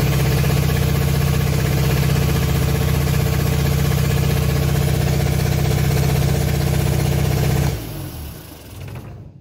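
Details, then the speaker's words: Innocenti S Spyder, long stored, running for the first time off its own cleaned fuel tank via a hot-wire box: strong, even low rumble, smooth with no misses, then clean wind-down at shutoff; generator light flashing suggests it is charging. Normal running. "looks like it's running I think from the flashing of that light there I think our generator might be working as well so that's pretty neat"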